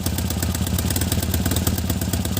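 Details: Tata Nano at idle with a lumpy, uneven pulse and a missing beat every so often; misfire.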